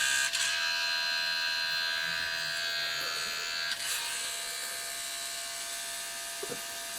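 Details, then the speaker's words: Pentium 200 MMX Windows 98SE PC at power-on: a high, steady electric buzz with a whine behind it, holding for several seconds; the floppy drive is the noise source. "look at that well looking good so far it's literally the floppy making all that noise"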